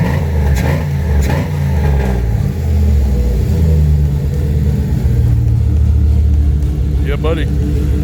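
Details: 1999 Dodge Ram 1500 just after installing a cheap Amazon radiator, smoking a little. Steady low rumble with a couple of gentle revs that settle back cleanly, no knocks or ticks: normal running and light revving.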